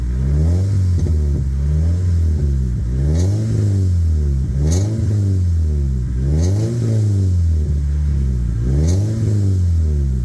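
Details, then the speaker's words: 1998 Toyota Celica GT ST202 after tightening exhaust clamp to fix a leak that sounded bad on throttle: repeated smooth blips up and back to idle, deep and even, no puffing or ticking at the pipe joint; normal revving. "Yeah, I think that's fine."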